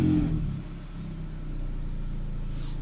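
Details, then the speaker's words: Peugeot exhaust after welding a hole and fitting a new flex pipe: a short rev falls back to a low, even, quiet rumble with no puffing or blowing, exhaust now sealed. "There you go guys, listen to that. Nice and quiet."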